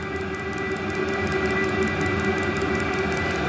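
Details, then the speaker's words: Newly installed fuel-fired heater running before a muffler is fitted: loud steady roar with a fixed whine and quick ticking from the fuel pump about four a second; noise largely from the unsilenced exhaust, much quieter once a muffler is added. "there's the fuel pump they say these things are noisy I hear"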